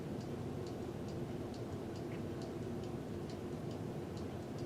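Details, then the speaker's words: Ceiling fan, cleaned, running on medium after high: an even soft whir with a light regular tick about twice a second. Normal running with good bearings. "well let's start it up on high that's pretty good high and that's medium"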